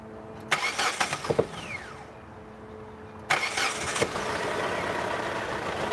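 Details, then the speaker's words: 2005 Hyundai Sonata 2.4L after valve cover gasket replacement: two cranking attempts with sharp pops, then a ragged, uneven idle with occasional backfiring, possibly worse than before; cause not identified. "Now it's um still not quite right. I can hear it like backfiring."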